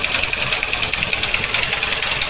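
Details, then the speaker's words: Honda X-Blade 160cc motorcycle idling with the clutch basket visibly wobbling off center: busy metallic rattle and chatter over the small engine's idle, linked to vibration and gear noise. "এই দেখেন class বাড়ির কী অবস্থা, কথা বলবো না, আপনারা just শুনুন এবং দেখেন দেখুন কীভাবে ভাইব্রেশন করতেছে ক্লাস বাড়ি।"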